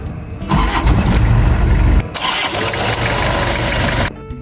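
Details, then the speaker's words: 1999 Toyota Kijang Krista 2.4 diesel manual, 215,000 km, start-up. Cranks briefly, fires and settles to even diesel clatter at idle with no misses or knocks; engine still sounds crisp and pleasant, healthy start. "Gimana? Suaranya masih nyaring kan? Masih enak banget didengar."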